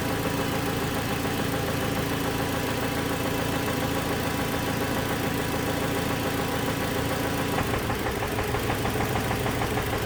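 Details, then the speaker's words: 2007 Toyota Tacoma 2.7 four-cylinder, cold, running two to three minutes at idle: steady deep bottom-end knock about three a second that changes when one injector is cut; teardown found a spun connecting rod bearing. "there's a bit of a knock there and it's cold right now it's only been running for about two minutes three minutes"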